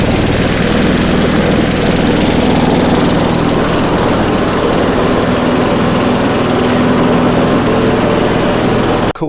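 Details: Craftsman yard vacuum with 4.5 hp Tecumseh single-cylinder engine, bought non-running: runs loud and steady for nine seconds with an even rapid beat and no misses or stumbles; normal running.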